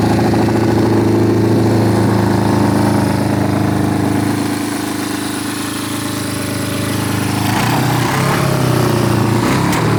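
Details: 1972 Honda CB350F big-bored to 400cc after 20+ years sitting, third start attempt: loud, uneven running right after catching, wavering lumpy beat, heavy smoke; rough running after start, cause unclear.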